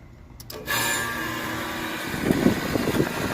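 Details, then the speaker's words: AC condensing unit started by manually pressing the contactor, whose fault kept the system running with thermostat off: click, then steady hum as fan and compressor come up to speed; normal start. "see the fan motor turn on. You could hear the compressor turned on."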